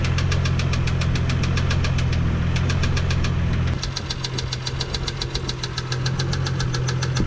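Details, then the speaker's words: 1987 MK3 Toyota Supra Turbo Targa at idle: sharp regular tapping, three or four per second, over a steady idle; it comes and goes, so owner doubts rod knock and suspects the valve train. "So from looking at it right now, I think it's something in the valve train. So you can almost hear it right there."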